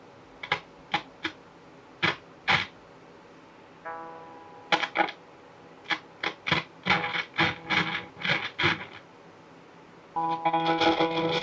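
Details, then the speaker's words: Vintage Traynor TS-15 15 W 2x8 guitar combo amp, about 40 years old and dirty, played with a capoed bass: notes cut in and out with crackle from a dirty, scratchy volume pot, before cleaning. "obviously the volume pot's got a lot of crackling going on. I tried to play it and set it into a certain spot that if it would stop crackling you could just play through, but it cuts in and out either way."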